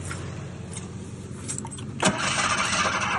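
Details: 1986 Ford Ranger XLT SuperCab 4x4, fuel injected, abandoned 16 years: spark present, ether used, starter churns about three beats a second with one brief flare, then nothing; fuel drained from the rails through a leaking pump.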